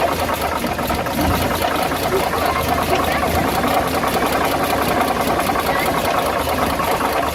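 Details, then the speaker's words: Dodge WC52 engine coming off throttle: fast, even ticking knock over the roar, a knocking and rubbing noise most noticeable on deceleration; source undetermined. "on l'entend comme un bruit de claquement, de frottement. Quand on prête bien l'oreille. On entend bien le fameux bruit à la décélération."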